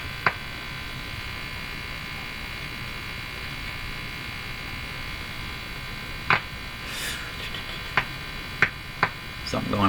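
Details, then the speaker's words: Silvertone 101-583-2 multiband tube radio during field coil overheating fix: steady mains hum with sharp random crackles and pops at irregular intervals; intermittent crackle, owner suspects a loose connection. "here sounds like a loose connection to me"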